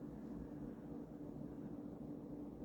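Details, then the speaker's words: Early-1980s Emerson-built Sears 52" ceiling fan, KB-55 stack motor, on high with mismatched blades balanced as well as possible: quiet constant low hum, soft air whoosh, no clicking or scraping; runs nicely, probably high RPM. "it's not that bad um it runs nicely moves a lot of air these KV 55s I think typically go pretty F pretty fast pretty high RPMs"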